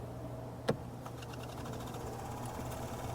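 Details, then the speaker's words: 1999 Chevrolet Lumina blower motor running, noise growing worse, vibrating the dash on high; steady fan hum with rough fluttering rattle and a sharp tick from junk/leaves in the blower. "yes there's a little bit of noise there a little bit more getting pretty bad oh yeah there's a bunch of junk in that lower motor"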